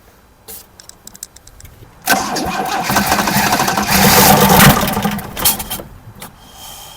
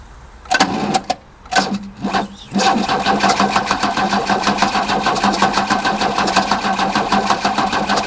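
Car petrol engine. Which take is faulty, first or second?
second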